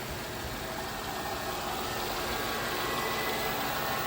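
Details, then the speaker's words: 2007 Jaguar XJ8 Vanden Plas, 4.2-litre V8, 99,000 miles, recorded under the hood just after being revived from electrical faults; smooth, even V8 idle with a soft steady hum and no ticks or knocks. A healthy engine. "But everything sounding good under here."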